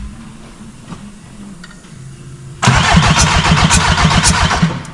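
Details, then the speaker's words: 1.9 TDI diesel car being prepared, first start attempt: starter cranks steadily at about four compression beats a second with no catch; cranks but will not start. "on a essayé de faire démarrer la voiture la voiture ne démarre pas"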